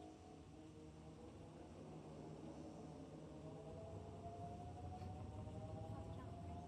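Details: Whirlpool/Maytag top-load washer test after fitting a new tub hub with grease, the old hub's splines worn smooth: even motor hum with slowly rising tone and steady agitation, no grinding or knocking; normal wash cycle.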